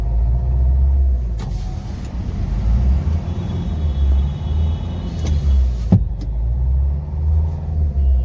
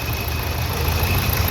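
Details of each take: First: Nissan Terrano diesel (code P0203) being driven to the garage after a breakdown: rough uneven running with heavy lumpy "tak tak" knocking and misfire; an injector is not working properly, and scanning is planned to find which one. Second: Nissan Terrano diesel after repair (injector serviced, faulty coil replaced, code P0203): idles with a steady, even low rumble, no missing or knocking as before.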